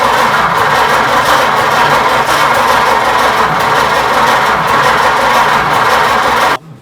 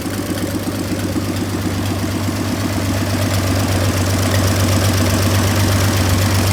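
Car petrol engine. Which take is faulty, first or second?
first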